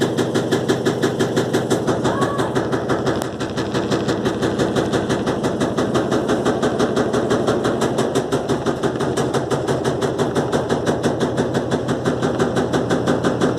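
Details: Electrolux LTE12 washing machine suspension test: steady, regular knocking about three times a second as it runs, pointing to the drum bumping through worn or loose suspension. Drum knocking.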